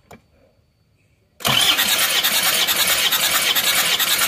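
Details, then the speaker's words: Isuzu Panther diesel during compression test after exhaust valve repair on cylinders 2 and 4: starter spins engine at steady about two beats a second, even cranking, readings over 30 bar; normal compression. "Cepot leasan hasilnya bagus teman-teman ya"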